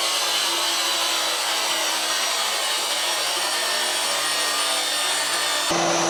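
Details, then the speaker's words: Newly built DFHS 2x48 belt grinder, first test run grinding 1/8 inch cold rolled steel: steady high hiss of belt on steel over an even motor drone, no bogging or rattles; runs healthy. "all right so there she is works pretty well definitely kicking up some bad stuff"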